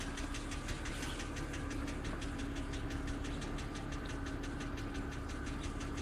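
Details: 2007 BMW X3 cold start: sharp, even ticking-knock about three per second over the cold idle, loud enough to hear in the closed cabin; oil level sensor reads full; cause unknown.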